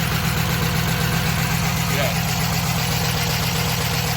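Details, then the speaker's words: Car with 93,000 original miles, running on a jump box: heavy, uneven idle with dull knock two to three times a second over the rumble; badly worn engine with zero oil pressure. "She has a 0 oil pressure, which is exactly what it sounds like."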